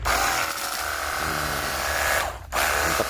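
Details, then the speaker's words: Battery-powered portable jet cleaner pump after repair (previously dead, motor humming hot but not turning, no water): even steady motor whine at constant pitch, brief dip then recovers; quieter and smoother, normal running. "Siap dipergunakan untuk cuci motor ataupun mobil dan suaranya lebih kalem ya, lebih halus."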